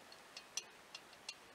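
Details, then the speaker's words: BSA A65 cylinder head on the bench: a handful of sharp, uneven clicks as the inlet valve is rocked in its badly worn, sloppy guide, a possible cause of the reported engine noise; the exhaust valves fit much better. "there's quite a lot of play there between the inlet valve and its guide you know that noise is making waggling around in the guide"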